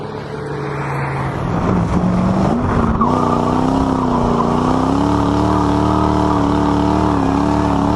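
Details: Toyota Soarer drift car, 1UZ V8 with M90 supercharger on a 10-pound pulley, intake temps over 100 °C: a loud, steady high whine that rises and falls with revs. Owner suspects the blower is spun faster than it should be, adding noise.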